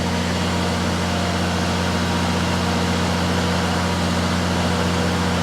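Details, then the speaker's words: 3rd-gen Dodge Ram 5.9 Cummins diesel at raised idle with throttle held, test switch grounding electronic fan clutch: fan engages after slight delay, fan RPM rising, steady deep drone with even rushing roar, no slipping; fan clutch working normally. "Click it on. Hear the fan going on. It is delayed a bit. You hear the RPM picking up on the fan."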